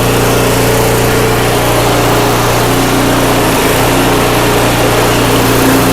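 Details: Craftsman 5/24 track snow thrower, small single-cylinder engine, after carburetor cleaned with carb spray and compressed air (seller's earlier carb clean failed): steady even idle, no stumbles or hunting; running cleanly, restored.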